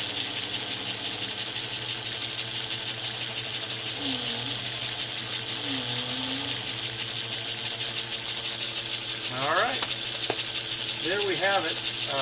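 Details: 1949 American Flyer #322 Hudson locomotive motor, after fixing armature bounce and backing off over-tightened screws: a high, even buzzing whine at a steady speed with no binding; it runs okay, though the darkened field coil may be scorched.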